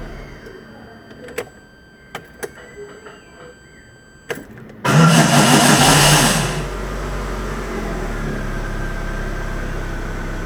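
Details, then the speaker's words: Chevrolet Corsa starter motor: a few clicks, then a harsh saw-like grind under two seconds while cranking before the engine catches and idles; grinding starter engagement. "E aí E aí E aí eu tava muito pior esse barulho parecia uma serra"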